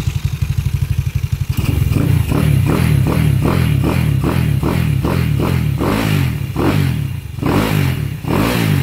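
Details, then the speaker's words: Scooter with rebuilt engine, brought in sounding like a shredder, now upgraded with 7.5 Generscom parts, flat slide carb, 170cc setup: even idle pulses and clean smooth revs, no knocking or grinding; quiet and healthy. "Yun no, tahimik na."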